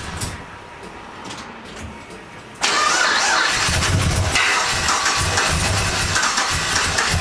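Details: 1999 Holden R8 Clubsport, Gen III LS1 V8, first start after a cam swap, no throttle: starter whirs, the V8 catches and settles into a fast idle with a light metallic rattle on top; oil light stays out, cause unknown.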